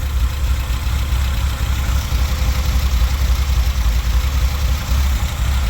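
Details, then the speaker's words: Toyota Tercel wagon with swapped 4A engine and carburettor, just after fitting a Schneider Racing regrind cam: deep choppy idle at about 3.5 beats a second with the whole engine rocking, a performance-cam lope the owner didn't expect. "like I honestly didn't expect a chop at all I was like be funny if it had a CH"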